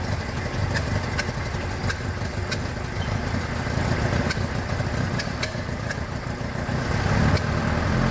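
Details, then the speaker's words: 1976 BMW 2002, Weber carbs, big camshaft, long-tube headers, ANSA exhaust, first run after 22 years: rough uneven loping idle with faint ticking, ignition timing keeps running away. "good okay problem I'm having is the timing just keeps running away I might have to oh go Google something about that"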